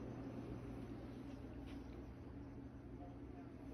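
Fan running with a steady low hum and a faint regular tick about three times a second; the source of the noise isn't clear.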